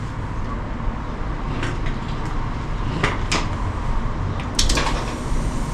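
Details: 2003 Yukon 5.3 L LS V8 on an engine stand for swap into a 1994 C1500, first successful run once the body control module was plugged in: steady low rumble holding an even idle, a few handling clanks; running normally.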